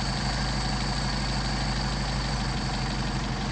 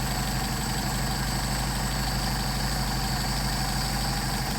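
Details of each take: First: Mercedes 190SL with Solex 44PHH carburetors on test at about 600 rpm (factory around 750), idle mixture screw turned in until stumbling then backed out: low, uneven idle that sags and stumbles; idle stumble from mis-set idle mixture. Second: Mercedes 190SL with Solex 44PHH carburetors at about 600 rpm (factory about 750) during idle mixture screw adjustment: even steady idle at the midpoint where it runs best, no stumbling or hunting; normal idle.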